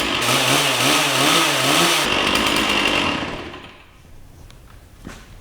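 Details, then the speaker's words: Free Stihl 044 Magnum two-stroke chainsaw with a 20-inch Oregon bar, running after sitting many years: revs hunt unevenly up and down for two seconds, then sag and die, smoking heavily while burning off the old stale fuel. "Yes. Here we go. So, we're burning off that old gas and it's smoking a lot."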